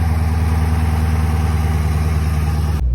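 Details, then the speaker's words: SRT8, 143,000 miles, salvage car with no check engine light: deep, steady V8 idle with an even low rumble and no knocks or misses; engine sounds healthy before shutoff, normal idle. "All right, let's see what it sounds like. It sounds decent. Ain't too bad, ain't too bad."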